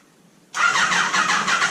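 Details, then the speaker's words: Neglected Kawasaki ZG1000 Concours cranks evenly but never catches; spark seems present but no fuel reaching the carbs. "I think I'm feeling a spark that sounded like something that sounded like something let's see if the carbs are getting fuel now no fuel down in the jacks we're done"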